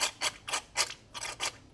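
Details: Turbo Miata, engine opened for an oil leak after new front crank and cam seals appeared improperly installed. Sharp bursts of ratcheting clicks about four times a second with little engine sound behind; cause unclear, owner unsure whether normal.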